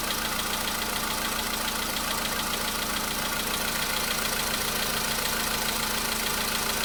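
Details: VW Polo Sedan engine at cold idle, a day after oil change and flush with flushing oil: light, fairly even ticking knock over steady engine note; knock was absent the day before, now returned but milder, cause unclear.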